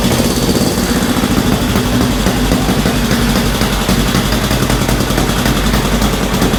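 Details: 1965 Honda CL77 305 Scrambler twin, restored, first start in several years after fogging oil, restarted with choke off: steady, even low-thump idle with no stumble or knock; normal healthy idle, still to be heat-cycled.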